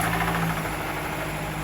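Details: 2017 Nissan Rogue just after oil change with 0W-20 Mobil 1, started up: smooth steady low hum with even pulse, no ticking or knocking; engine idling cleanly, no leaks.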